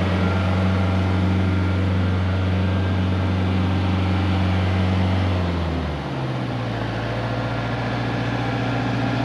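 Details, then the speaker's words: Diesel engine in a JLG manlift, bought with a bad engine, after repair: steady, even beat settling smoothly to a lower idle around six seconds, no knocks or misses; runs like new, normal running. "it runs like a brand new one it does"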